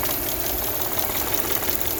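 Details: 2011 Audi S4 at idle, days after PCV replacement, oil change and coolant bleed; compression about 180 all cylinders, coolant holding, no check engine light, smooth power: intermittent light fast ticking, source unpinned; others suggest intake flappers.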